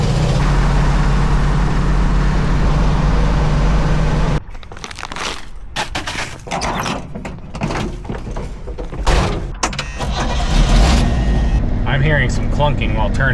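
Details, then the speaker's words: Old pickup truck with a leaking transfer case, driving: steady rumble, then irregular heavy thunks only while turning; owner guesses a U-joint in the solid axle, not confirmed. "That's a little concerning. We might have bigger issues than a transfer case leaking. If I had to guess, I'd say the clunking we heard because it only happens when we're turning is one of the axle ins."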